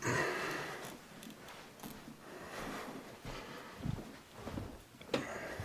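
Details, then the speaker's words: Baseboard hot-water heating pipes heard as the faulty, worn original zone valve is manually held open: irregular dull pops and ticks build as water heats from 121 to about 157–180 degrees; the pipes expand as they warm up. The valve needs replacing. "Hear it popping? Yeah, I heard it. Yeah. It's 157 degrees, 180."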